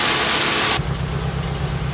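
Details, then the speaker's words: Toyota Corolla twincam liftback gen 2 at idle, heard at the tailpipe after engine checked smooth with steady mounts: steady, even low idle burble, no misses or pops, exhaust sound unified at rear; healthy engine. "suaranya bener-bener di belakang Ya maksudnya gini teman-teman mesin yang waras itu suaranya itu jadi satu di belakang"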